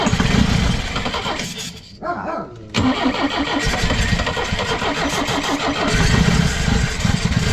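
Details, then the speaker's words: Pinzgauer after fuel pump replacement, first start in about 3 years, cold: short crank, catches, falters once, then settles into an even idle; starts and runs normally. "oh yeah I like that you you could let it warm up it hasn't been warm in a long time that's awesome"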